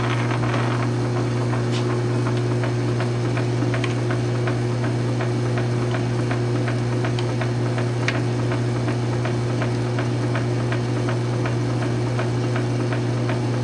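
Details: South Bend 9-inch lathe converted from Model B change gears to Model A quick-change gearbox, slow test thread cut; steady low motor hum, light evenly spaced gear ticks, no grinding or clunks, thread pitch correct: normal gearbox running.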